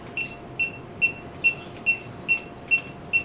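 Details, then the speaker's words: 1967 Mercury Cougar with a cobbled-together AC system, electronic leak sniffer checking the factory couplers; slow, even high chirps about twice a second with no speed-up; no refrigerant leak there. "Nothing there. That's good."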